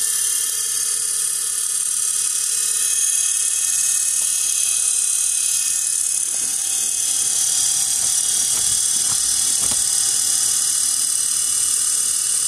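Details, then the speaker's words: 1 hp, 2500 rpm, 90 V DC motor run at only 12 V from a computer power supply, just after cleaning brushes and commutator: high hissy whirr with scratchy rasp over hum, brush noise expected for a few minutes. "and there you have it so reason why it's making that noise because i just cleaned out the the brushes so and it usually makes it sound for a couple of minutes"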